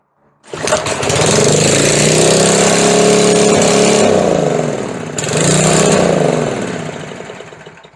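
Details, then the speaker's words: McLane edger with a carburetor fault, first start attempt before carb diaphragm replacement: the engine catches and roars flat out, sags sharply, then races back up. It only runs wide open or nearly stalls, and the throttle linkage is suspected of hanging. "हैं उसे लगता है कि दो गति पूर्ण विस्फोट है और बिल्कुल नहीं तो यह बहुत दिलचस्प है"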